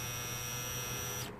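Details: 2007 Ford Ka 1.3 petrol, not starting after 2 years parked: removed fuel pump on bench gives steady hum and thin whine that cuts out, motor barely turning; pump stuck after storage, WD-40 tried.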